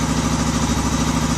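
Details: Odes 400 4x4 ATV unused for years, after rocker adjustment and fixing a no-start: even, steady idle with regular firing and no knocks or misses; runs smoothly.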